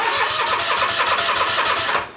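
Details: Toro TimeCutter zero-turn mower, no-start after customer replaced brake module and starter solenoid, now repaired: quick even cranking that catches and fires within about two seconds; starter and ignition working normally.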